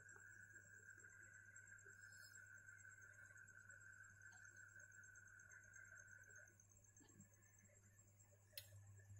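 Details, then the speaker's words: Refrigerator not cooling, no airflow, compressor unable to turn: low electrical hum then sharp click as the still-working overload relay cuts out; owner suspects a clog in the condenser or elsewhere. "Oke, terdengar lagi mendengung. Ini fungsi overloadnya masih bagus ya, maka dia hanya mendengung lalu mematikan lagi."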